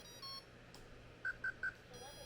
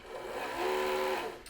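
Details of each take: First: RC submarine pump motor that ran fine the day before: faint hum for a couple of seconds, then three quick high beeps as everything resets; owner suspects a component drawing too much current and resetting the receiver. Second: RC submarine bench test before water: a short smooth electric whirr swelling and easing with throttle, no scraping or chatter; the drive motor works perfectly fine; normal motor run.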